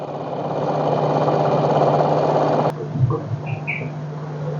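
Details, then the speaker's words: LG washing machine showing 1E error, in spin-dry mode; steady hum under a rough rushing tub noise that goes silent when the tub is held still; not from the bearing, source still unknown; tub noise during spin. "ตอนนี้เสียงที่ดังเนี่ยไม่ได้เกิดไปจากลูกปืนนะครับตอนนี้เดี๋ยวจะจับถังให้นนี่พอจัถังแบบไม่ให้มันระบัดก็เงียบเลยนะครับ"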